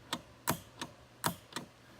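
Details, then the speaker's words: Nitrous Express GM universal kit (part 209 02) on a Jeep Liberty, armed: sharp single clicks, five or six in two seconds, over a quiet background as the purge solenoid switches; normal solenoid operation. "when you hit full throttle you can hear the nitrous and fuel in solenoids click"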